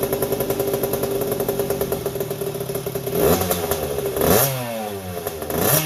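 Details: 1981 Yamaha YZ80H two-stroke at first start after engine overhaul with new seals and top end: a high steady squeal over crackling revs from a dry gearbox cog; it quietened with the clutch pulled in and stopped once the bike was tipped to oil the gearbox.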